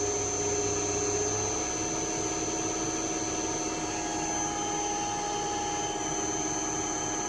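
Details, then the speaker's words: Restored Cadet three-phase grinder, 208 V motor run off 240 V at about 20-something hertz: steady, even hum with constant high whine, no wobble or rubbing; motor runs smoothly and healthy. "Beauty. Really nice sounding. Really nice sounding."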